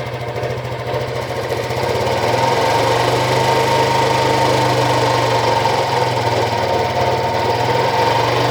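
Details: Honda Biz 125 EX, 2,900 km, about 3 months old, oil changed on schedule: engine running steadily with an uneven catching scrape that comes and goes; dealer mechanic said it was nothing, owner insists abnormal, cause unknown.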